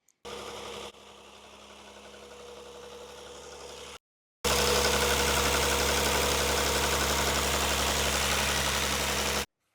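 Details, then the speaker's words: Rover 75 KV6 V6 at idle, before repair: steady idle with a fast, even light clatter, nearly four ticks a second, from the intake at the top of the engine, present whenever idling with low power; worn VIS intake flap actuator motors. "Euh j'ai un petit souci avec le moteur claque euh à bas régime, enfin tout le temps au ralenti."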